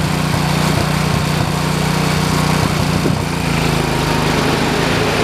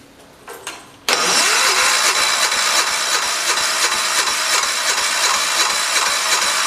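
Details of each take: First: 1973 112 tractor after new points, coil, condenser and points readjustment: single-cylinder holds steady, even chug at fast idle, no misses or stumbles; ignition firing cleanly, normal running. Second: Crank no-start after replacing points, coil and condenser on 1973 112 tractor; points set per book, owner first thought it flooded; starter churns evenly about three beats a second but never catches; ignition points out of adjustment.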